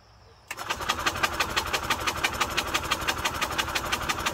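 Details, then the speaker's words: 1998 Yamaha golf cart engine after the cart was flipped, crankcase oil coming from the carb, spark present: starter churns about three strokes a second without catching, throwing oil out the intake; oil-flooded engine cranking. "I see what it does here following all kinds of gunk out of it look at the throwing oil all over the place"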